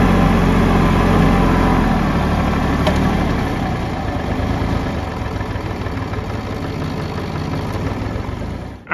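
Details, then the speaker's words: Kubota L3301 tractor, 2015, standard transmission, 500 hours, diesel idling steady and even with no stumbling after finally starting with a fuel line clogged by trash in the tank; later lost power and died again after an hour. "all right finally cranking everybody uh finally started up I guess what I'm gonna do is if it keeps running I'm gonna try to use it do some uh work around here"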